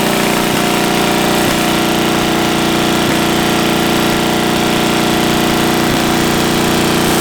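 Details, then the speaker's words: 700cc twin-cylinder military standard engine built 1987, long sitting, possibly never run, repeat start after spitting a mud dauber from the exhaust: steady even clatter with faint regular tick about three per second; normal idle. "That's a win. Holy moly. That's a win. >> Thing been sitting up since who knows what year."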